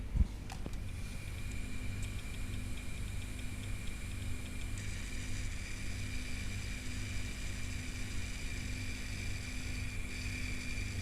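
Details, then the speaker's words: Seagate Cheetah 450GB 15k drive in disk benchmark with 4 GB file, around 160 MB/s; steady high spindle whine over low hum with busy rough head-seek chatter, rather noisy but healthy. Normal hard drive seek noise under load. "So as you can see, it got actually rather noisy."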